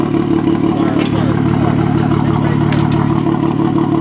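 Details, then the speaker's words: Cheap car idling/driving: rough, loud engine note with uneven chuffing beat about three times a second; misfiring. "This car is really cheap and it's pretty ass. It's misfiring as you can hear."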